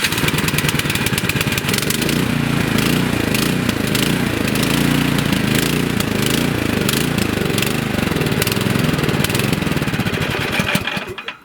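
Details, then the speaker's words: Nearly new 24-inch Troy-Bilt snowblower, sat about 9 months with gas, runs only on choke: started on electric starter with choke and primer, engine surges up and down at idle then dies; fix is cleaning the carburetor bowl area. "So it surges up and down and then dies when you want it to idle."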